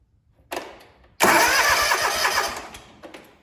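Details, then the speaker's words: John Deere lawn tractor with a no-start from a starter solenoid fault, after the part was bolted back in: a brief click and whirr, then a strong, steady crank at about three turns a second. The starter now works as it should. "I'm gonna go ahead and see if it'll fire. And it's working as it should."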